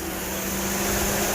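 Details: 2007 Mercedes: loud steady air rush and constant hum, radiator cooling fan roaring at full speed with no fan request shown on the scan tool; cooling fan stuck on high.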